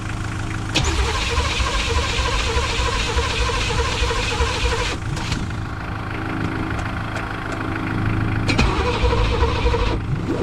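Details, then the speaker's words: 1985 Pontiac Trans Am 5.7 350 small-block, not run in 7 years after being seized, fed premix fuel: starter spins briskly then slows and drags, won't catch; owner suspects battery losing power even with booster. "I don't know if it's dead battery's just hemorrhaging the power I've seen it was uh spinning a lot faster though that's the kind of speed we need to start the engine"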